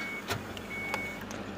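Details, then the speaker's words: Ford Fiesta boot lock after fuse problem fixed, opened from front dash switch with central lock working: two short crisp clicks half a second apart over quiet idle hum; latch actuator releases cleanly. "यह dicky यहां से भी खुल गई है"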